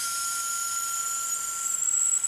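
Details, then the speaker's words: Toshiba V-77B VHS recorder probably unused for 25 years or more, playing before belt replacement: thin high steady squeal over faint motor hiss, sluggish transport; mechanism thought gummed up. "bit screechy but it's running all right let's stop let's try that again yeah it's basically working isn't it i think it's just all gummed up"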